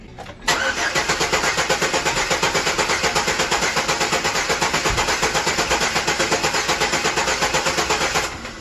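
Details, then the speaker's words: 2008 Chevrolet Express with an intermittent misfire, cranking for a relative compression test with a pressure transducer in the tailpipe. A long steady crank at about 80 beats a minute has one weak, uneven pulse each cycle. Cylinder 5 reads low compression. "To the right should be my intake pole, number 1. 6, 5 is low. 4."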